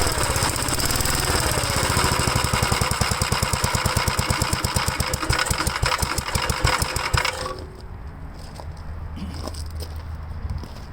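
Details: 1957 Gravely single-cylinder engine on a project tractor, after the carburetor was installed and cleaned, the points checked and timed by the owner's own marks, and the condenser installed: fast, uneven popping for about seven seconds, then it dies; rough running that needs further adjustment.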